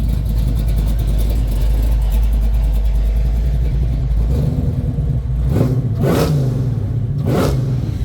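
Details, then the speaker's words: Supercharged 496 big-block V8 in a 1972 Chevelle, revved while parked with the mic near the front of the car: deep rumble with a faint high blower whir rising with revs; normal supercharger whine. "can hear the blower up here too"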